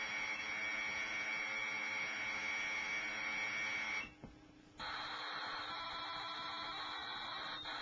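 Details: Commodore Datasette program tape, saved from the computer, played back on an ordinary Kenwood cassette deck: a steady high whistling data tone with a brief dropout, then a shifted screech resumes, a clean normal signal.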